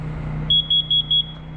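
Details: Small generator running during a space-heating experiment: four quick, shrill detector beeps about twice a second over a low generator hum; the detector is alarming, cause unknown, and the owner wonders how something is getting in.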